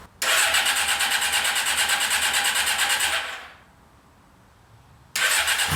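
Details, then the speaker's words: Yamaha XJ600 motorcycle after sitting since the pandemic, carbs cleaned, in neutral, fuel on, vacuum plugged; starter cranks at an even beat about three seconds without firing, repeatedly; cranks but won't start, no fuel in carbs. "i run it out of gas so i put more gas in here i'm going to try it again"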